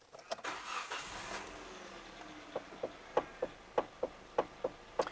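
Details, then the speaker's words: Hyundai i30: the engine starts, then sharp clacking knocks about twice a second come as the steering wheel turns back and forth. The cause is a worn flexible rubber steering coupling on the column, mostly disintegrated, a common Hyundai/Kia fault. "problem being is this fella here that Noki Noki noise but if you start it up it's even worse"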